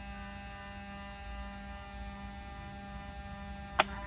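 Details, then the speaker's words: 1994 Mercedes 600SL V12, repaired throttle bodies connected to the running car, ASR light off: steady electric hum with thin high whine and a sharp click as the throttle units run their learning cycle; normal noise for these units. "you hear the noise that's normal for these units"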